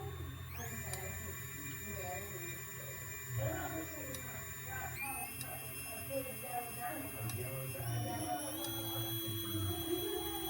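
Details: Micro FPV racer quadcopter: thin, high motor whine rising with throttle with a rough buzzy edge; bad bearings in one or more motors cause vibration and right drift.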